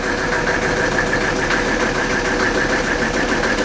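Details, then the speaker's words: 1984 Mercedes-Benz 300D turbo diesel, formerly seized, just started after bleeding the injector lines: loud, uneven clatter at idle with a lumpy beat and heavy shaking; it also won't shut off with the key. "I don't know if the camera picks up how much this thing's shaking right now."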